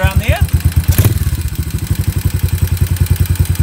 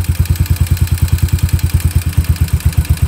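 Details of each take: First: Warmed-up Yamaha SR250 single, Jadus air/fuel screw set about 3.5 turns out and idle speed readjusted; pilot jet roughly correct. Even thump at about nine beats a second, steady with no hunting or stumbling; normal idle. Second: Warmed-up Yamaha SR250 single with a Jadus air/fuel screw turned out past its setting. Slow, lumpy thump, beats uneven and sagging toward a stall; rich mixture rough idle.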